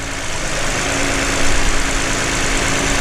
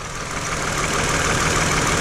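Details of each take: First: V6 after ignition coil replacement fixed a flashing check-engine misfire; even, steady idle with smooth low hum and no skipping. Normal idle, firing cleanly on all cylinders. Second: Car with a flashing check engine light and vibration while driving, with previously repaired broken wires; loud idle with a slightly uneven, stumbling pulse under the engine drone; owner suspects a failed ignition coil causing a cylinder misfire.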